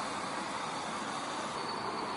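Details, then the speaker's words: LPG training prop: high-pressure LPG tank's relief valve has fired off, venting with a loud, steady rushing hiss and faint high whistle; relief valve sticks out of tank on prop, in reality sits in cluster valve area. "okay well the only difference here you can see is that the relief valve has fired off"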